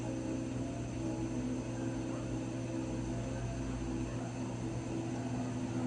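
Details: Raypak 106A heater: a steady low hum with a thin, constant whine on top that never changes pitch; whining again, cause unknown.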